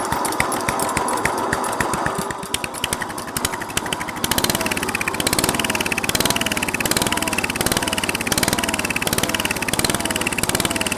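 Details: Restored 1963 Bolens Husky 600 lawn tractor single-cylinder engine catches on a bit of choke and settles into a steady, even thump with a loose regular beat; runs healthy after restoration.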